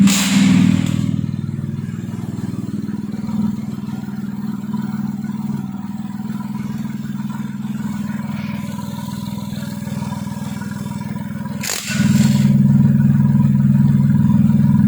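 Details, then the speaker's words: Kancil converted to Japanese AVY turbo engine, freshly started: steady, even idle with smooth low hum and regular beat about four per second. Engine okay with no problems, no smoke; initial exhaust smoke has cleared. "Okey, enjin okey. Tak ada masalahlah. Enjin ni tak ada asap."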